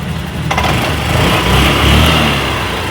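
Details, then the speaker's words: BS6 scooter after raising low idle (spec about 1400–1500 rpm): single self-start press without throttle, starter whirr, catches and settles into fast even idle with no misses; normal idle after fix. "Accelerator ಮುಟ್ಟಲ್ಲ, single self ಮಾಡ್ತೀನಿ, bike start ಆಗುತ್ತೆ. Start ಆಯಿತು."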